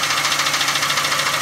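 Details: Car engine at idle: quick, even ticking, about eight a second, in a light metallic clatter over the idle; source not yet pinned down; engine ticking.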